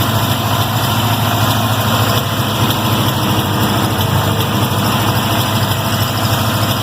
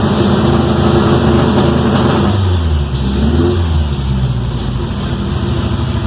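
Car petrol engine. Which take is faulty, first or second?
second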